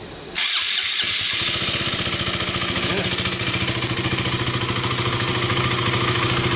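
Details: KTM RC 200 single after replacing a leaking fuel pump hose that caused low fuel pressure and sudden stalling; pressure now about 40 psi (spec 40–45 psi, 2.7–2.9 bar). A quick crank catches at once, then settles into a steady, even idle.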